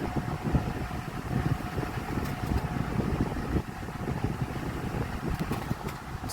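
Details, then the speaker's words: Vornado 12-inch oscillating Silver Swan Alchemy desk fan, about 3 years old, found on the curb: loud airy whoosh with busy low rattle, insanely loud with weak airflow, owner blames poor blade spacing; fan rattle. "The spacing is just not there. And this plane's just making noise at this point."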